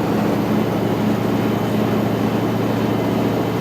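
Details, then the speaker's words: New washer replacing a failed Whirlpool, final spin cycle with about 8 minutes left, speeding up from slow: steady low hum and whir at full spin, no banging, little vibration; healthy normal spin. "And it starts off pretty slow and it goes faster and faster and faster. Pretty soon it'll be really humming along."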